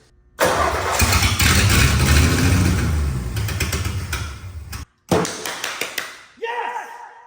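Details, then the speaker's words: Ford F100 field truck, fed carb cleaner by hand, essentially no exhaust: catches and runs strong and even for a few seconds, then dies without fuel and refires; a good motor. "so you don't want to run unless I give you gas well I understand it's definitely a good motor though that sounds great"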